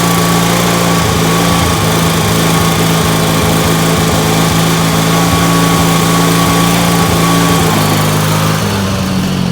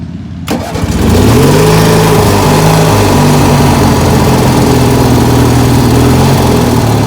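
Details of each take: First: Ford YT16 lawn tractor under restoration, running with a fast, steady high buzzing drone, revving quite a bit higher than it should; carburetor issues despite a new carb. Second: Ford YT16 riding mower under restoration, now starting off the key again: starter catches within a second and the engine settles into an even, steady run with no misses or knocks. Normal start and idle.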